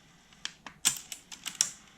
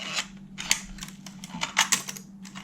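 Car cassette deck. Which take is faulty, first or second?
second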